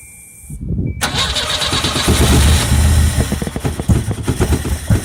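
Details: Volvo B21FT engine on Microsquirt engine management cranks and catches, then settles into an uneven, lumpy, stumbling idle; rough idle, cause unknown.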